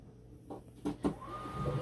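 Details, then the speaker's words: Condensate pump on a new high-efficiency boiler, after its 3/8 vinyl discharge line froze against a window at 25 below wind chill and was thawed: clunks, then a steady hum with a faint rising whine; pumping normally again. "That sounds a lot better. Mm-hmm. And the water's going down, feels like."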